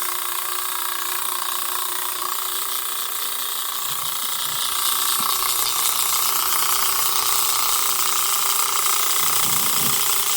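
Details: Marx toy train switcher's noisemaker: a dry, raspy hiss with a steady chuff about three times a second, likened to an Alco. It is working as designed.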